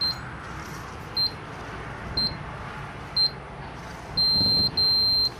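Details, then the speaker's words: Arc-Geo logger in auto mode: short high beeps about once a second, three of them, then two longer tones, pacing the coil moves. "i'm gonna start the log process again that time you heard three saw grid complete"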